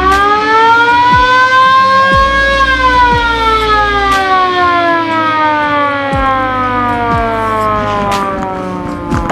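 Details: Original factory siren on a VW Kombi Baywindow ambulance: smooth wailing tone climbing then slowly falling in pitch, steady and strong throughout; the siren works properly.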